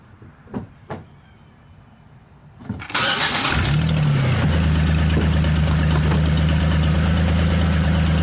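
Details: Petrol engine with P0401 (EGR flow) cranks, catches and idles evenly with no stumble despite the EGR being commanded open by scan tool, so no vacuum leak is created. The EGR passage is suspected obstructed.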